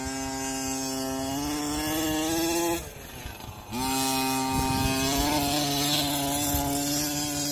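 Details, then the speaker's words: Losi 5T two-stroke RC car during a track run and tuning: high buzz holds, then sags and cuts out before recovering; runs fine cold but bogs once hot, owner suspects carburetor, possibly airflow; cause unconfirmed. "gonna change in that carburetor once it's cold it runs fine soon as it heats up it sucks the ballgame you can't see"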